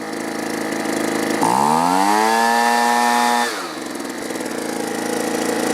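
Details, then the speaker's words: Two-stroke leaf blower stored over winter on old gas, low-side carburetor screw turned out half a turn without fixing it: revs up, holds, then sags to a ragged idle. Dirty carburetor needs cleaning. "well that's just not running quite right the adjustment screws aren't doing exactly what they're supposed to so i'm going to pull the carburetor off quick just give it a quick cleaning"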